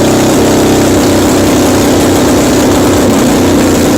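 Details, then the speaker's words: 1981 Yamaha XS850 Special, carbs just refitted, first start on full choke in cold snowy weather, no exhaust tips: loud, ragged running, speed wandering, won't settle to idle; owner suspects just too cold. "it's starting up but it's not idling maybe it's just too cold"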